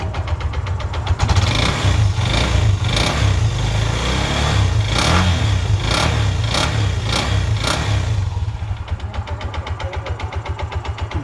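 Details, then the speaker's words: Bajaj BS4 engine started in neutral after timing chain jumped, magneto oil seal leaking and shaft needing replacement; catches and settles into fast uneven metallic kitra-kitra clatter about four per second over idle; crankshaft rattle. "ಆ sound ಕೇಳಿಬಿಟ್ರೆ ಬೇಜಾರಾಗಿಬಿಡ್ತೀರ ನೀವು ಇಂಜಿನಲ್ಲಿ. ಹಾಂ, ಕಿಟ್ರಾ ಕಿಟ್ರಾ ಕಿಟ್ರಾ ಕಿಟ್ರಾ ಅನ್ನತ್ತೆ."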